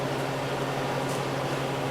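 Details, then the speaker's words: Large Harvest Right freeze dryer, freeze test run in functional testing mode: even, steady compressor hum with soft airy hiss, no clicks, rattles or cycling; refrigeration running normally, like a refrigerator. "Voila! Sounds like a refrigerator. Not half bad."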